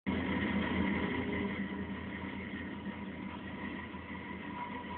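A steady low rumble carries a thin whine and a faint pulsing beat at about four per second; the source cannot be pinned down.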